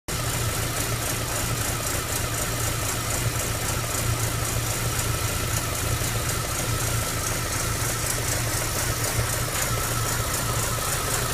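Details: MG ZR 105 petrol engine at idle, recently fitted with new plugs, leads and alternator belt: a fairly steady low pulse that roughens now and again, an intermittent odd noise whose cause is unclear.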